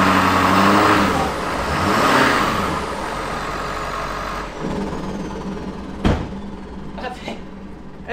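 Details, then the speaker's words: Ford F-250 with 6.7 Powerstroke diesel, needing an engine, with metallic debris found in the oil: a steady, even clatter for a few seconds, then shutdown, with no knocks or misses; a normal idle that sounds brand new. "fire this thing up this thing sounds so good [Music] hey literally sounds it's like a brand new engine"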